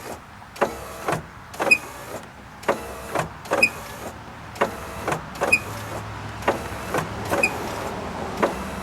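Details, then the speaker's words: 1990–1997 Mazda Miata MX5 pop-up headlights cycled up and down while lubricant is worked in: motors whir in short runs, each travel ending in a thin high chirp; squeak seems to come from the driver's side. "Now that sounds to me like it's coming from the driver's side."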